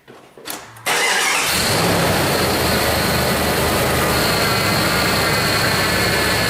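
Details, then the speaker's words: Jeep Grand Cherokee after replacing a cracked, broken power steering pump bracket that had misaligned the pump and made the belt squeak, fluid topped off: even steady idle with no belt squeal or pump whine; normal idle. "Alright, that sounds good. The belt's not squeaking, the power steering pump's not whining, and I have power steering when I turn the wheels from lock to lock."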